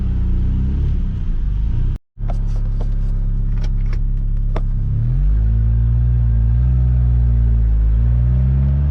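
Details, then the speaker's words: Old Ford Ranger pickup, warm, driving away after a tune-up, new fuel tank, fuel pump and fresh gas: deep smooth drone pauses for a sloppy gear change, then pulls strongly without stumbling, no smoke. Before the repair it ran on roughly two cylinders. Normal engine under load. "wow she's got all the tour she's not even struggling the last time i drove this it was on i'm guessing two cylinders this is a night and day difference"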